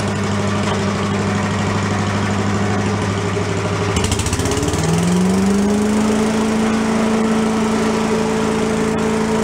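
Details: Commercial walk-behind two-stroke leaf blower, bought not running with reported carburetor problems, repaired and run on the ground to check smoke: buzzy idle revs up cleanly at about four seconds and holds a steady, even high pitch; running normally.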